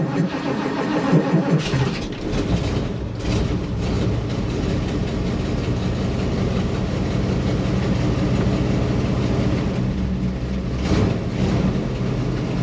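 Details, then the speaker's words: 1977 Ford F250 Camper Special, 460 V8 with dual exhaust, camera by the duals, cold start in snow; long grinding crank before it catches and settles into a rough, lumpy idle, slow to fire and cold-blooded. "So here we go. Well, cold-blooded here."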